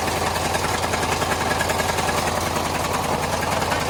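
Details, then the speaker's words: Two-door Chevy Tahoe after sitting for months, with an oil leak: steady idle with a dull, fairly regular knock about three per second; cause unknown, and commenters suspect the flywheel or a loose flywheel bolt. "I did have people when I posted the video they was commenting saying that it sound like a flywheel too or something something like a a flywheel bolt or some type of boolt being loose or something"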